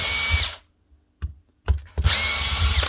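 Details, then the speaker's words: Two short bursts of high, steady whine with no run-up from a Milwaukee M18 impact wrench (ONEFHIWF12 / 2863) whose motor is seized; hoped to be a failed rear bearing; fix is replacing the rear bearing cover. "Sometimes the bearing here fails, collapses or falls apart. But because it's on this plate and it's right next to the fan, that extra bit of play causes the fan to rub on the back cover, melting the plastic, and then everything sticks together."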